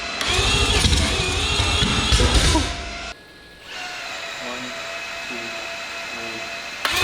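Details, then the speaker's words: Billet four-rotor rotary on open headers, first start attempt with ignition and fuel primed: loud, ragged bark for about three seconds that cuts out; ignition timing settings thought to be mixed up. "We just changed the timing settings. I think we got just a little mixed up on that."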